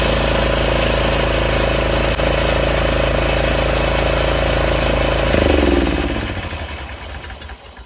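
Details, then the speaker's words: Craftsman 30-inch rear engine rider mower with blades engaged: small single-cylinder engine runs steady and even, then shuts off and coasts down; sounds healthy. "So it's working. It's not like a regular lawnmower or lawn tractor that you can noticeably hear it go."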